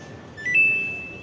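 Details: Samsung Bubble Wash washing machine PCB (control board), bench-powered during a no-start repair after a faulty switch was found: a single clean high-pitched beep that fades over about a second. The control board powers on normally.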